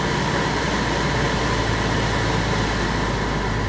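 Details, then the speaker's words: Copart auction car just jump-started with a booster pack: even, steady hum with an airy rush on top, no misses or knocks; engine quieted down and idle settled after a rough start, check engine light on, alternator not charging. "Okay. The engine quieted down."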